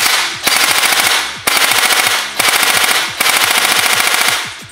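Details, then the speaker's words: Airsoft gun gearbox on full auto after unscrewing the motor height from too far in: fast, even rattle of shots in steady bursts with no grinding or squeal; motor height set correctly, cycling cleanly. "And that sounds pretty good. I don't hear the gears grinding because they're not too low. I don't hear them squeaking because they're not too high. So that is the perfect spot for your motor height."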